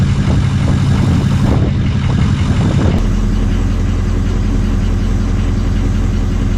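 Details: 6.0 diesel truck after installing a new upgraded turbo, idling at the tailpipe on current tune: heavy clatter settles into a steady, even low rumble; healthy idle with no misses or odd noises.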